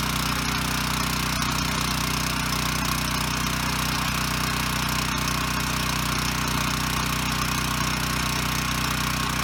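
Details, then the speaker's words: Ryobi RY905500 5500-watt generator, bought with broken recoil rope, running with no load: steady, even engine drone at constant speed with no misses or knocks; runs and makes power, though one side gives no output (tripped GFI suspected). "okay so the good news is it runs and makes power"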